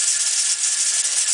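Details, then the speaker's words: All American 930 pressure canner at 15 psi with the weight on: steady hard steam hiss with fast light rattle of the rocking weight, holding pressure; should jiggle three to four times. "it's supposed to jiggle between three to four times and read your manual exposure for mine it's supposed to be from three to four times"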